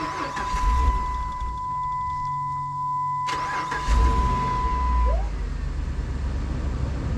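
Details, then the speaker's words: 2006 Dodge Ram 1500 Hemi, after replacing the fuel pump for a crank-no-start that caught then stalled: short crank, catches cleanly, fuel pressure perfect, settles into an even steady idle with no misses or knocks; normal start and idle. "check that out how are we doing all the fuel pressures oh that is perfect listen to that hemi just sink yes oh she sounds great"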